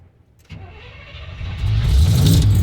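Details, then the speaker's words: 1971 Chevy C10 Cheyenne, cold start on a cold dark night, rebuilt carburetor: silence, then the engine stumbles, catches and builds into a rough rev; hard start from flooding after an extra pedal pump. "there we go i flooded it let's go and when it died another pump that didn't need that"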